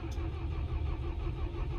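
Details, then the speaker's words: Perkins-engined diesel plant machine after 2-3 very cold mornings, fuel-related error codes E0000157-18: heavy, low starter churning that never catches; the mechanic suspects the fine Perkins fuel filter is gelled. "It's not even wanting to start, look. Damn it! Yeah. I was going to say the fuel filter will be gelled, but it probably still is, because it'll have been dropped off here and it's had 2-3 mornings of really cold weather, and it doesn't start."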